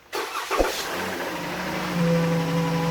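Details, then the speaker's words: 3.6 Pentastar V6, cold start after sitting unstarted: catches and settles to fast idle with a light steady valvetrain tick; suspected in bank one rear cylinder head (broken rocker arm/lifter or cam phaser), not confirmed. "now on top of that is cold you haven't been haven't been started or brand in a date so it's cold so one could say there's a cold start tick"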